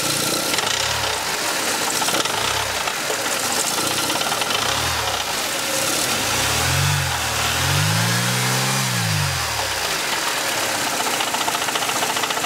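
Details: Mercedes C124 230CE, 2.3 M102 petrol engine blipped from idle, uneven metallic rattle through low revs; exhaust, heatshields and torque-converter flex plate checked and ruled out, internal source unconfirmed.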